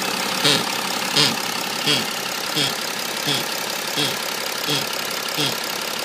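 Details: BMW E90 330d diesel at idle: sharp tick with a dull thump about 85 times a minute that comes and goes and is not tied to engine speed; intermittent rhythmic noise, source unknown.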